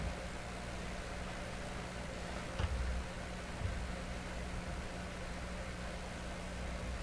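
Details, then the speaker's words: Hammarlund SP-600 double-conversion receiver during 3955 kHz second IF alignment, band switch 7.4, generator at 3.95. Selectivity widened from 3 kc, only a faint hiss over low hum and no tone passes. No signal. "I'll widen out the selectivity. At least we hear a little hiss now."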